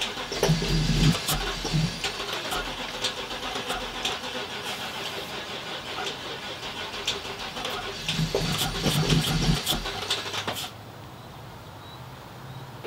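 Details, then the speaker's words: Winnebago Sunstar RV engine, being rebuilt with parts from a donor engine and previously hard to start, now won't run for days: strong even cranking about four beats a second, only sputters then dies with starting fluid; cranks but won't start. "basically it's cranking it's sounding pretty good when it's cranking but not spinning over we basically just starting I got the starting fluid over there but it just kind of sputtered a little bit then just die will not idle not run on its own"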